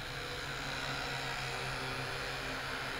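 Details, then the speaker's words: D3634 Air (QZ S8) drone in flight: steady high buzzing of small rotors with a faint uneven wobble; flier notes the sound is odd with a slight strange vibration, cause unclear. "Même le bruit est bizarre, je sais pas si vous entendrez. Bon, il est pilotable, hein, mais vraiment rien d'extraordinaire. Il y a une petite vibration bizarre."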